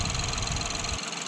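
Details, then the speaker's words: Ford Fiesta SFE three-cylinder with 71,000 miles, no warning lights: brief, even idle with a soft low thrum and no squeals, ticks or knocks. The slight shake is considered the nature of a three-cylinder; running fine. "It's not making any weird noises, it's running fine, no warning lights or anything like that, so that's just the way it is."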